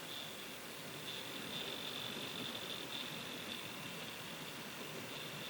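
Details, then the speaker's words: Gaming PC under load test: graphics card fans spin up and one makes a harsh, wavering high-pitched grinding rasp over steady fan rush, possibly arcing; GPU hotspot only about 11° above core temperature, fans still spinning sufficiently. "the fans on the GPU started spinning up and one of them's making a noise. Don't know if you can hear that. There it is. So, one of them's got a grinding noise of some sort."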